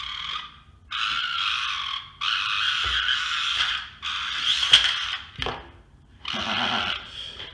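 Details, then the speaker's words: RocHobby Katana crawler slow-crawling after new ESC and receiver removed ESC whine: loud raspy buzzing bursts each creep, coming from the interior not the body shell; off-centre motor shaft vibrating through the transmission. "But if you'll notice, it's still pretty loud. And I think I've got a solution for that. It's not coming from the body shell, it's coming from the interior."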